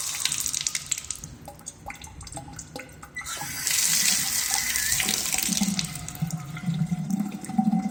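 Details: Faucet that keeps dripping: running and dripping water with a high-pitched, wavering squeal partway through; suspected aged, stiff rubber washer or faulty ceramic valve, not confirmed.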